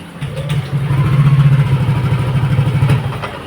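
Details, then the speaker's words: Yamaha Nmax all new v.2 scooter, previously had throttle body work: starts normally but engine swells unevenly and stalls when throttle is opened, sometimes even at idle; fault in ignition electrics, spark plug and plug cap being checked. "สตาร์ทนะครับได้ปกตินะครับแต่เวลาเร่งนะอ่าดับนะครับ"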